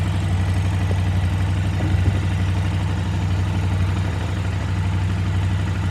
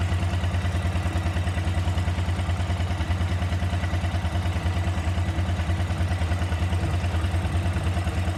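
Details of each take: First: KTM 950 V-twin during carburetor synchronization, rear carb adjusted to match a reading of about 10: deep, even idle thump with a smooth, steady pulse and no stumbling; the carbs sound well balanced. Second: KTM 950 carbureted twin idling warmed up, before carb sync: steady, slightly uneven low thump with some top-end clatter; unequal airflow readings show the carburetors are not balanced.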